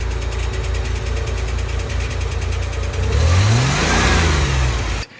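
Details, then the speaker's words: Truck with a VJ30 V6 that still dies after driving despite a new timing belt, belts, alternator and valve cover gaskets. Quick, fairly even tick at idle and on revs, said to be common on these engines; the cause is suspected, not known. "I redid everything though. Timing belt, all the belts, alternator, um, valve cover gaskets, and it's got the craziest tick ever, which is allegedly common on these VJ30s."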